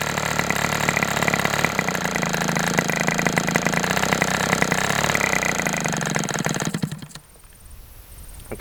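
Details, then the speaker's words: Fox twin model engine run at 77°F, dropping to about 3600 rpm at low speed: shrill, fast twin buzz that stumbles unevenly before cutting out as one cylinder drops out; low-speed needle rich, can be leaned two notches. "Um, I think I recorded a low speed. My tac doesn't record hold the low speed, but I got down to like 3600 and it seemed like this cylinder dropped out a couple of times"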